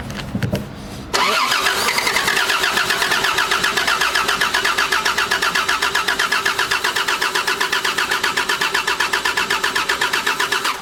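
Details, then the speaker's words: 1988 Toyota Land Cruiser Troop Carrier, parked five years, new distributor and carburetor, bowl hand-filled: short crank, fires, runs with an uneven pulsing idle then dies, starting and stopping repeatedly; fuel starvation suspected, unconfirmed. "that was not happy okay so you heard it start you heard it stop you heard it start you heard it stop that's our issue there"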